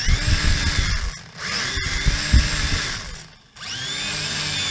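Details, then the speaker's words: Eachine H99 drone motor tested out of the aircraft: high whine rising and falling through short spin-ups with rough gritty edge and dropouts, unlike the other motor; owner suspects bent or chipped gear, none seen. "other motor sound good this motor sounds fun so it might have to do something with that gear maybe it's bent maybe there's a piece out of it"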